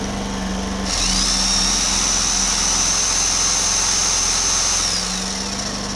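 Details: Homelite HG600 generator with Yamaha engine, after a fuel pump clean and new fuel pump gasket set, started on choke: the small engine settles into a steady high buzz with even speed and no surging or misses, running normally.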